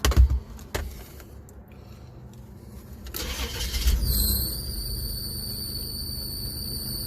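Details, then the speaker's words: 1994 Isuzu Rodeo, after removing a check ball in the MAP line that had made it run badly: quick crank, catches straight away, settles into a steady idle, no popping, revs cleanly; slight pulley squeak; normal start and idle. "urn line it started right up no popping a rev right up it runs awesome"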